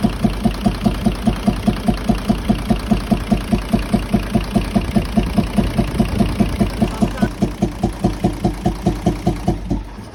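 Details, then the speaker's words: Nissan UD truck FE6 six-cylinder 24-valve engine at steady idle: rhythmic even chuffing about four or five times a second, loudest from the intake/air-filter side; faulty camshaft and valve seal problem found after opening the head. "जिस तरह से मैंने आपको check करवा दिया है, इसमें आवाज़ जो है इनटेक की तरफ से ज़्यादा आ रही है, जो एयर जाली है उसकी तरफ से आवाज़ ज़्यादा आ रही है।"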